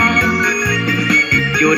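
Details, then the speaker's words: Bluetooth speaker after repair, playing a test song: clean organ-like music with steady tones and no crackle or hiss; noise gone after replacing the large amplifier IC. "อันนี้ก็เปิดแล้วน้องบ่มีเสียงดังแขกระบาดนี้อีกนิดเลยบ่มีแล้วเสียงดังเขาแขก"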